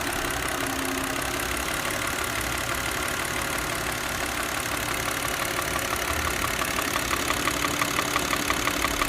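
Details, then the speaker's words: Old Audi C6 2.4 petrol engine at idle: steady rhythmic knock about three per second from the intake manifold, a known common fault; noise stops when the vacuum hose is disconnected and returns when reconnected. "大家听没听到？就是这个异响，当当当当当，特别有频率的这个异响。今天我教大家怎么解决这个异响，这是一款吸溜的通病，是这个进气道异响。"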